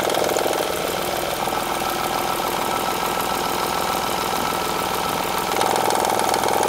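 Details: 2007 Honda Odyssey Touring 3.5 at steady idle: fast, even ticking rattle from the front of the engine. Diagnosed as a damaged timing belt tensioner; tensioner, timing belt and a side engine mount were replaced.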